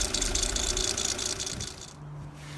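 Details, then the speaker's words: Peugeot Partner 1.9 diesel van at idle: high, rasping belt squeak pulsing about four times a second from the tensioner area; belt slightly out of line, forced off side of tensioner, rubbing — drive belt squeak from misaligned tensioner. "If you look really, really closely, you can see that the belt is just being forced off the side of the tensioner slightly. It looks reasonably good, but it's slightly out of line, which is pushing across and causing the belt to rub and squeak."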